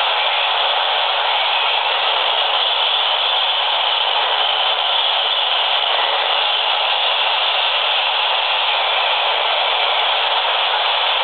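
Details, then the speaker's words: Laptop powered on to startup screen, detected with a standard AM radio: steady hiss and buzz at constant level; the computer radiates strong interference extending about 4 ft, gone when switched off. "the computer has reached its startup screen it's very very noisy and that noise is extending out of this machine by about 4 ft"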